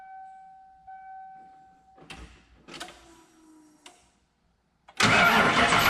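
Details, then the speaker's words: Ford Bronco 347 stroker V8 first start after top-end rebuild (rocker arm locking nut had lost preload): cranking bursts, then catches with a harsh rush and high thin squeal from the serpentine belt system, noisy as before. "It started, nothing blew up. The belt serpentine system sounds like it's gonna explode, but that's fine. That was like that before, so we'll let her buck."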